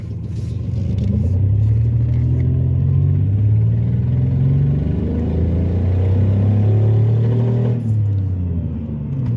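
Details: Ford Taurus while driving, after a shop visit for another problem, owner suspects the shop caused an exhaust leak with power decreased dramatically: deep, loud, throaty diesel-like rumble swelling as the car pulls; exhaust leak.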